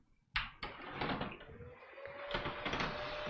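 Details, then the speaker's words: AMD gaming PC built June 2020, switched on after cooling down: a few clunks, then a loud thin whine near 600 Hz rising as a small fan spins up. The noise comes from the motherboard chipset fan. "the fan noise is coming from the chipset fan on the motherboard i predicted that that was going to happen when i built it"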